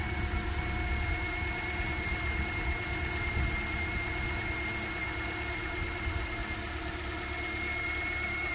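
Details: 2010 Toyota Corolla 1.8L 2ZR-FE inline-4 after replacing bad alternator and welding a port back onto the radiator neck: steady, smooth idle hum, no knocks, ticks or whine, no leaks; normal idle.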